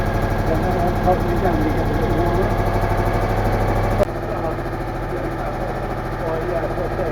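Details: Citroën Méhari air-cooled twin warm-up idle after exhaust leak fixed with new gaskets, fan off in very cold garage; steady even low idle, fairly quick regular beat, no ticking or puffing; healthy, sealed exhaust.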